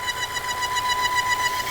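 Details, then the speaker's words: 2019 Volvo XC60 4-cylinder running with oil cap on: loud steady high-pitched squeal like a belt, actually a torn PCV valve diaphragm causing a vacuum leak; noise disappears when the oil cap is removed. "So, what's wrong with it? It's the positive crankcase ventilation valve, it's bad, and the little rubber diaphragm is squeaking inside. Often confused with a belt squealing."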